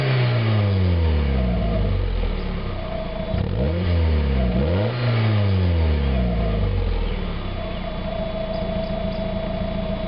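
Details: 1991 Mazda Miata after fitting a new catalytic converter, no flange leaks, warming up: crisp, clean blips that climb and fall quickly with no rattle or hiss; sounds much better, revs faster, power restored.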